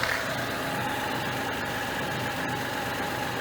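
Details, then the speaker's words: Mitsubishi Mirage at 120,413 on the odometer just after a DIY oil change with ZIC 5W-30, warming up, heard outside; steady, even idle with a smooth hum, no ticking, knocking or misses; normal idle, no leaks found. "So, yan yung tunog, guys. Normal naman."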